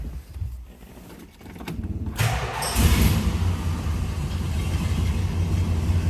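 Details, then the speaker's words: 1969 Plymouth GTX convertible, numbers-matching 440 V8, odometer 75,731 (unconfirmed original): starter catches, engine fires and settles into a deep, steady, even rumble; healthy cold start and idle. "Let's go ahead and fire this up so you can hear it run. Nice running, nice sounding car."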